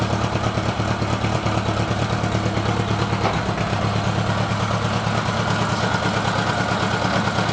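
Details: Honda GL1000 four-cylinder idle with an uneven, slightly stumbling beat about three per second, hinting at a cylinder occasionally missing; misfire suspected, not confirmed.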